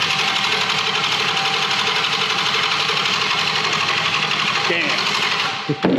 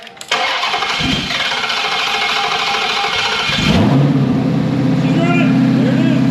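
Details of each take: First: 2021 Hellcat Redeye V8 on a test-fire setup out of the car, no cooling yet, no gas in it. Loud, even starter grind at about ninety beats a minute that never catches, then cuts off; crank no start, out of fuel. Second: 2021 Widebody Hellcat Redeye V8, in-car run test with a vacuum gauge before teardown. Starter cranks briefly, catches with a loud bark, settles into a deep, steady, even idle; runs good, normal start.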